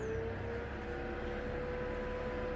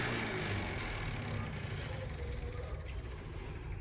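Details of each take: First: 1993–02 F-body with stock electric fans fitted as pushers on a stand-up radiator, run via scanner fan test; steady even whirring hum, no rubbing or ticking, noticeably more airflow than previous fans: normal cooling fan operation. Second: Stock 93-02 F-Body cooling fans mounted as pushers on a stand-up radiator: rapid even clicking, about four per second, over the fan whoosh as a blade strikes; a latch pushes the fan forward into contact.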